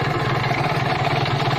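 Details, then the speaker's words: 2013 Kawasaki Ninja RR two-stroke, used bike being checked: idle with heavy rough low knock under rattly top-end clatter; worn piston, worn cylinder block liner and crankshaft bearings. "di sini sudah terdengar sekali yang pertama suara piston yang kedua suara silinder blok linernya sudah aus dan yang paling parah suara askruknya juga sudah kena"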